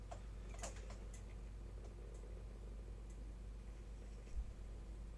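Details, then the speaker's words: Old Acer 3-in-1 Intel Pentium all-in-one PC running Windows 7: faint, sharp ticks about every half second over quiet room hum; judged a failing hard drive with bad sectors. "And the clicking noise again. Definitely an issue with a hard drive. These are bad sectors."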